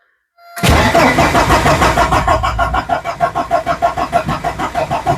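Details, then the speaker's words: Porsche 944 project cranking after fuel pump, filter, wiring and new lines are fitted: steady starter churn that never catches. Cause suspected, not confirmed. "I don't hear the fuel pump running"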